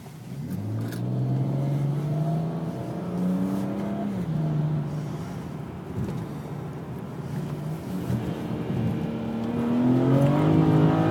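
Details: Vishnu Procede V5 automatic, BMW N54 turbo petrol six, pulling hard through gears under boost; engine note stumbles and breaks up, misfiring even after the harness update.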